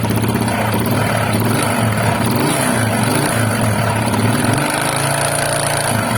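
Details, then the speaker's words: Honda XRM125 with a noisy engine, owner suspects camshaft, camera held close: loud busy clatter over low drone swelling with revs, noise from several sources, engine to be disassembled. "So, marami na siyang, marami nang pinanggagalingan yung ingay, no? Hindi natin alam kung ano."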